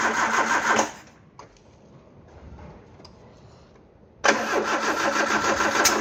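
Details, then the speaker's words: Peugeot 309: the starter churns at an even, fairly quick beat in two bursts with a gap, never catching. Carb cleaner and petrol down the carb failed; it needs more petrol and a charged battery. "Not having much luck here, are we?"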